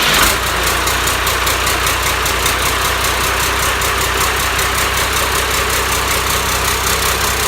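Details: Cummins 5.9 12-valve diesel, first start on engine stand, hot-wired starter, destined for a truck: fires right up into smooth steady diesel rattle, even beat, no misfires; healthy idle.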